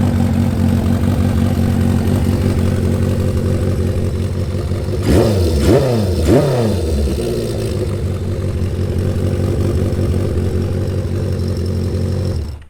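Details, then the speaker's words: 1977 Honda CB550 four-cylinder with a Delkevic 4-into-1 exhaust: steady idle, a few quick rev blips that rise and fall cleanly, then shutdown; healthy, well-tuned engine. "She's a happy one."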